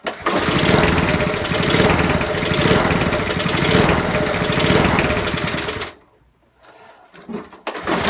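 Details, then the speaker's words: Non-running eBay spares petrol mower after reassembly with fresh oil and petrol: single cylinder fires and runs about six seconds with uneven, lumpy beat on choke, then cuts out; throttle seems stuck on; rough running on choke. "Try it with the choke on. So obviously it's running but not very well,"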